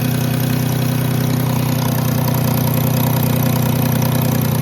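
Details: 2010 Jeep Grand Cherokee 3.7 at idle: low, even pulsing drone with an odd hum, seemingly from the intake, mainly driver's side; owner rules out valves and PCV valve, smoke tests of intake and exhaust found no leaks; cause unclear.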